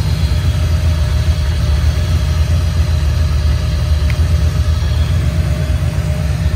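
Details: 1987 Camaro Z28 V8 revived after nearly 30 years parked, running with alternator belt removed and only water pump driven, timing only rough set: deep steady V8 idle, even low rumble, no knocks or misses; good oil pressure, sounds healthy.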